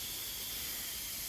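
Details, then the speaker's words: Boost leak test on pressurised intake piping: steady high-pitched air hiss changing as hands feel for the leak, found by feel, not soapy water; air escaping from the boost system. "you can literally hear the air it changes so that's"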